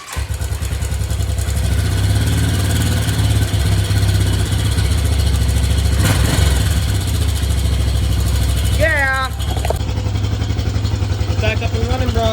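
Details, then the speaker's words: 1986 Yamaha Big Bear ATV single-cylinder, started after a long layoff with fresh oil and fluids and rewiring: single-cylinder thumping at idle with a slightly lumpy, uneven beat. It runs but the carburetor definitely needs adjustment. "carburetor definitely need adjustment but what I'm going to do now is just move it out and then I'll see you in the [Music] morning"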